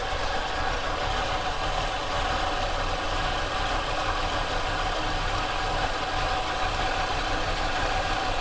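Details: Monaco with Thermo-Quad carburetor being fixed, after brief warm-up: very low idle with loose, uneven chuffing and faint rattle, nearly stalling; rough low idle, mixture and kickdown screws to be adjusted.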